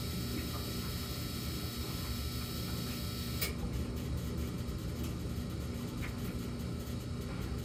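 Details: Samsung gas dryer with a fixed-pattern intermittent hum (high 14 s, low 38 s, then none for minutes): steady low drone with a faint higher hum riding over it, no knocking or scraping; cause of the hum unclear.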